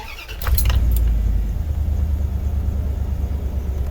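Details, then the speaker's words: 2000 Dodge Ram Van 3500, after replacing a hidden 15 amp O2 sensor fuse that caused rough idle despite tune-up: few clunks then low even idle with no stumble or hunting; runs smoothly, exhaust leak. "I mean, it runs real good now. There is an exhaust leak, but other than that, it is a smooth running rig, and I can get going down the road with no problems anymore. It fires up and idles now."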